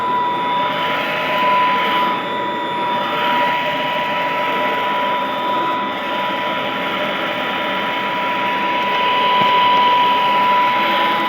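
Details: Vintage all-metal Royal Model 153 vacuum, owned 22 years, 3-amp bushing-style motor with belt tension kept light; smooth, steady quiet hum with constant mid-pitched whine, no knocks or grinding; normal running.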